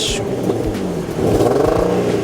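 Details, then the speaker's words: Infiniti G35 coupe, automatic, 134,774 miles, revved in park: a raspy, loud exhaust note climbing with revs; an exhaust problem is suspected, possibly a missing muffler, piping or catalytic converter, but this is not confirmed. "so that's good Wow so something's going on with the exhaust on your knees car I don't know if he needs a muffler is that the piping"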